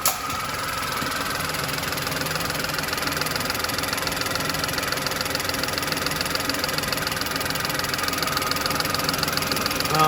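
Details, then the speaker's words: VW Polo with code P0068 at idle after fixing the air leak: steady even hum with no hiss of air being drawn in; normal idle. "I don't think we're drawing in any more air from there anyway"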